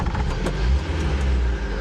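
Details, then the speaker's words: Porsche 924 restarted after running about 10 minutes, caught on the second attempt: deep, uneven low rumble with wandering pulses, running rough and hard to start; battery suspected weak, cause not confirmed. "Hopefully you can still hear me alright, but yeah, bit rough, bit hard to get going, but not horrific from what I understand."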